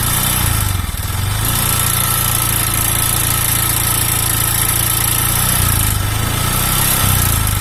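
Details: Honda Vario 125 fuel-injected scooter idling with a coarse, uneven rattle and rough firing. Piston slap from a piston loose in the worn cylinder block, with weak compression and hard starting.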